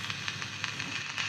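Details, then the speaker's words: 1963 Romanian Carmen 2 valve radio on medium wave, no station: irregular sharp crackles and sizzling pops over faint hiss; audio amplifier works but nothing upstream; intermittent fault suspected. "so there's there's nothing you know there's some crackling there so the amplified parts working but nothing else"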